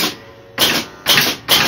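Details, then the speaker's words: Gottlieb Royal Guard pinball scoring one point, game has no bells fitted; three crisp, even mechanical clacks about half a second apart, the match unit stepping normally. "Now you listen I'll hear the one hit one point and the more pronounced noise will be the the match unit or the U to9 unit move"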